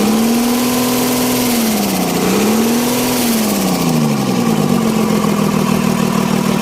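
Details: 6D17 diesel after an injection pump plunger replacement for hard starting: it idles steadily, revs up and down twice, then settles into a smooth, even idle. Normal.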